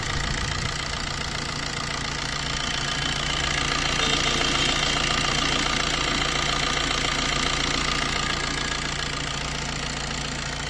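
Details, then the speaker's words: Maruti Dzire after timing chain replacement: steady smooth idle with an even hum and no chain rattle or slapping, replacing the earlier heavy timing chain noise. "तो देखा दोस्तों अभी इसकी जो आवाज कितनी smooth हो जाति है अभी टाइमिंग चैन करने के बाद"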